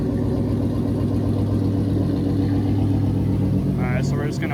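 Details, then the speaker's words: 5.7 Hemi V8 idling after intake manifold spacer install and thermostat swap: even rumble, steady firing, no misses, ticks or knocks; running fine. "so we're just gonna walk over, make sure we got no leaks. Things running fine, so there's those spacers right there in the middle, that silver piece."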